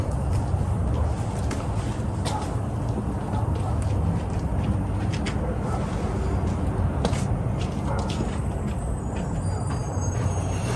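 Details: 1987 Toyota pickup 22R four-cylinder, carbureted, after fixing vacuum leaks, replacing the fuel pump and adjusting timing: steady low rumble with an even beat and no misses, all four cylinders running, timing correct, idle set just about perfect.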